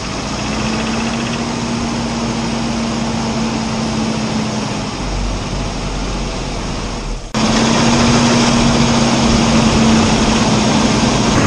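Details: Petrol car engine running with a rough, steady drone and a dull repeating knock. The sound comes from worn pistons and cylinders, and the engine needs an overhaul.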